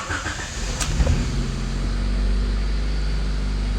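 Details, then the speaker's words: Honda CRX after replacement with a rebuilt alternator: low steady idle hum, earlier high-pitched noise gone, no squeal or chirp; normal idle, belt tension likely the earlier cause, charging 14 volts, no battery light. "oh maybe i spoke too soon nice and quiet there's no more noise maybe it was just the uh the belt tension"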